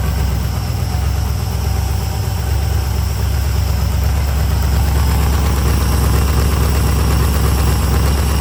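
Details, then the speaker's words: 2003 LM4 aluminum 5.3L Gen 3 LS V8 on test stand with Holley dual-plane carb intake, bowls full of fuel, idle cranked back up: deep, steady V8 burble at smooth, even idle, no knocks or misses; tone preferred over Flowmaster; normal healthy idle. "Yeah, I really like this tone. It sounds way better than the Flowmaster."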